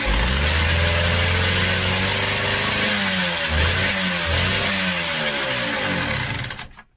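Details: Yamaha DTR125 two-stroke fitted with a new piston three days earlier, carb leaking from the overflow pipe: raspy run with an uneven rattling knock under the buzz, stumbling before cutting out; suspected piston slap from a loose-fitting piston.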